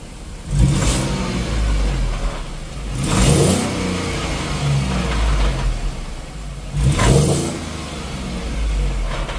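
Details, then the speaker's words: Ford Transit 3.7L with 85,000 miles, running well after new spark plugs and coils cured P0301–P0304 misfires, revved in three blips. Each blip brings a metallic rattle from the broken passenger-side catalytic converter, which needs replacing. "now that it's running good and it's not misfiring right away listen to the catalytic converter on the passenger side"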